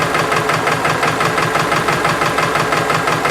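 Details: Subaru engine at warm idle: even knocking pulse about three a second, loud over the hum and heard more through the intake than the driver side; valve adjustment suspected, rod knock doubted given plenty of oil pressure; not yet confirmed.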